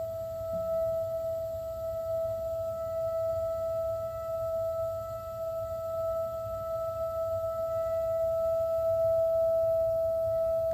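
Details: Gas water heater, just over a year old, with an expansion tank at 50 PSI: steady pure whistling whine over a soft burner rumble. It occurs only while the burner fires and is not relieved by releasing pressure.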